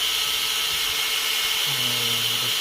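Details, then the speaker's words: Arrma Notorious 6S ESC cooling fans after BLX185 fan replacement, three fans working: thin, steady high-pitched whir with no rattle or ticking; cooling fan spinning normally. "Spinning now. So we got 3 fans working."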